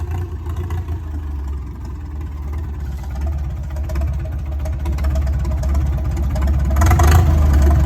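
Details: 1962 Ford F600 barn find that sat 30 years, magneto ignition with impulse coupler, after restoration: big engine drops back quickly to a low, even rumble and holds it without misses or knocks; healthy idle.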